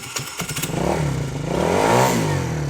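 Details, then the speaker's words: Tao Tao ATM50-A1 50cc scooter with weak battery, started on a jump box: a few clatters at start, then a buzzy two-stroke note rising and falling with throttle, clean and steady; exhaust sounds healthy. "Very nice. Listen to that exhaust. Very nice. I love that sound."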